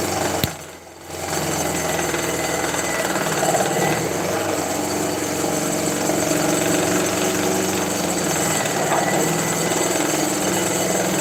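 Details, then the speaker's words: Grizzly G0704 milling machine running a 2-inch shell cutter on a heavy cut: harsh rapid cutter chatter about four hits a second, motor bogs slightly, speed control compensates and overshoots while feed rate is adjusted. "You can kind of hear that the motor bogs down just a little bit, and then the speed control tries to compensate, and it kind of overshoots a little bit,"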